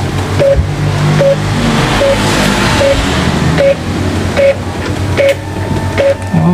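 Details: Epson L3210 inkjet printer running a test copy smoothly after repair, an even short tone repeating about every 0.8 seconds; the earlier crackling "kretek" noise came from a paper holder under the paper path that had come out of its seat.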